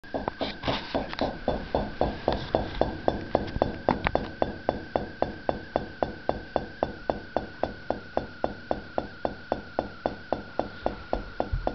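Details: Year-and-a-half-old Whirlpool refrigerator: rapid steady clunking, nearly four a second, over constant high hum for 10-30 seconds, as the compressor wobbles back and forth; cause unknown, owner wonders if a spring is broken.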